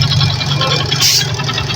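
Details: Kymco scooter after tune-up (carb cleaned, valve clearance adjusted) idling steadily with a low even hum, valve tapping from the cylinder head now gone; previously hard starting in the morning.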